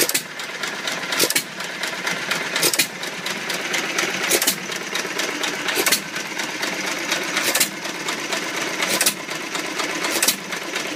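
Slow, steady exhaust pops roughly every second and a half with mechanical clatter between; old hit-and-miss engine running evenly after rebuild.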